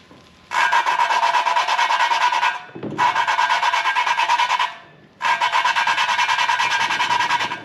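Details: BMW M54 cylinder head from an overheated Z3 engine, machined head, lapping a valve by hand with suction cup and Permatex compound: steady gritty rasping strokes about every two seconds, valve and seat not yet seated.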